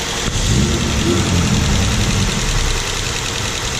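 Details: Mazda SP23 (Mazda3) after conrod bearing replacement for a rod-knock bearing rattle, first start once oil pressure was built: a loud, fairly even low idle with no sharp knock standing out, settling and running smoothly; normal idle.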